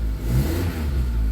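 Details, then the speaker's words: 1989 Nissan Sunny N13 with auto choke, starting up: deep, rough, fruity rasp rising with revs and heavy low puffing; holed exhaust blowing, front section still the original repaired pipe. "Very fruity, yeah. Yeah, there's a hole in there, for sure. There's probably several holes in it."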